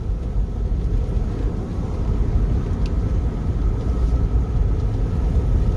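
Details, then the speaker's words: GMC Denali on its first road test after a 4L60E swap to a second junkyard transmission: an even low rumble under way with no slipping flare or clunk as it takes second and third gear; normal automatic shifting. "see if transmission number two that the junkyard sent for this is going to be a good one Oh God we got second gear we got third gear"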